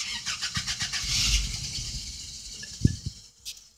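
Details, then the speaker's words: 1988 Toyota pickup 22RE 2.4L after replacing the suspected-bad air flow meter, with the fuel pump primed: it catches and fires for about a second, then sputters and dies; it starts but won't keep running, cause unknown. "so far our truck still not going it cranks up a little bit longer than it does I mean uh starts up a little bit longer than it did but now we got other issues"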